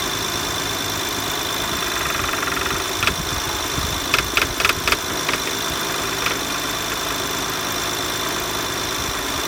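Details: BMW E92 335i at idle: loose, uneven clanks and ticks bunched around four to five seconds in; cause found to be a rattling power steering pulley, though no visible pulley movement.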